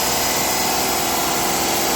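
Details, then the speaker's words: Renault Kwid idling with the old faulty electronic accelerator pedal fitted: steady high-pitched drone instead of settling to low idle; fault found with a Launch scanner, new pedal brought revs down; high idle from faulty accelerator pedal. "இது வந்து volt pedal pedal இங்க பாருங்க RPM sound வந்து எவ்வளவு sound வருது கேக்குதான்னு தெரியல வீடியோல ஆனா சவுண்ட் வந்து வருது"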